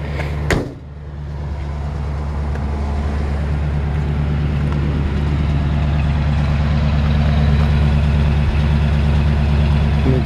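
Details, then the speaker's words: 1951 Ford F1 petrol engine at idle, idle just adjusted and slightly high: low, even, quiet beat with no ticks, knocks or rattles; normal idle. "this is one of the quietest engines"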